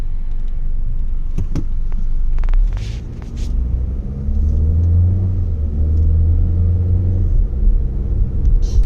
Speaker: Even when it takes off, you don't hear that ticking, that loud ticking and tapping. This Castro is doing its job.